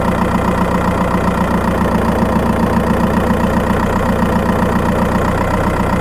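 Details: Skoda Octavia 1.9 TDI PD, microphone in battery box while driving: steady diesel drone with a light, fairly even tick about 220 a minute on top, mainly when accelerating; ticking chirp, cause not pinned down.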